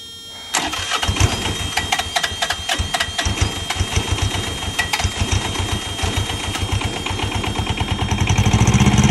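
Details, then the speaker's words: Truck APU small diesel, first start after new fuel pump and oil, fuel and air filter changes: starter grinds briefly, pump audibly working, then it catches and settles into a steady knocking run; starts and runs fine. "we're about to see if this thing's going to fire off and work God I hope so oh please I just bought this truck oh I hear I hear it pumping I didn't hear that before that's definitely new"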